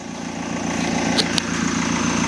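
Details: BMW E46 320d Touring diesel idling after a fresh start: steady, even idle; the inline pre-supply pump's earlier loud high-pitched whine is gone and the in-tank pump is silent. Engine sounds sweet. Normal idle.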